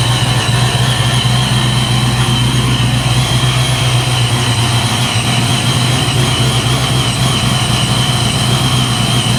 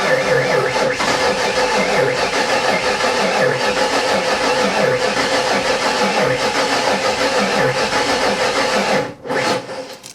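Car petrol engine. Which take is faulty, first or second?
second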